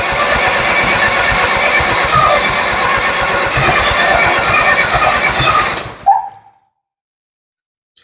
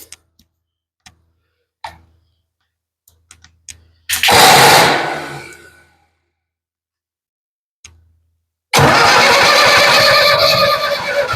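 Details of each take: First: Ford 7000 diesel tractor with suspected timing problem, possibly 180° off, after front cover checked and injector lines loosened; starter cranks harshly and evenly six seconds without catching, then drops out; hard starting, cranking without firing. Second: Ford 7000 diesel tractor after timing correction (timing was the no-start cause): short crank that dies, then a firm catch into a steady, continuous diesel run with no misses; runs really good, normal start and run.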